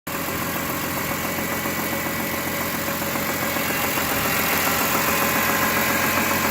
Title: 2004 E46 M3 S54 rod knock